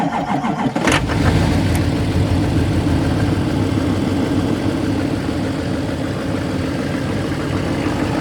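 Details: 2008 LMM Duramax diesel, prone to clunk-click no-crank after sitting in cold below 20°F: after jumping the starter relay, short crank then fires and settles into a steady, even idle clatter.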